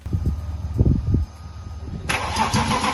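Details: 1998 BMW E36 328i, rebuilt M52B28 six after head gasket replacement, first start on cheap break-in oil: low uneven cranking thumps, then it catches and settles into an even running note with no knocks or misses.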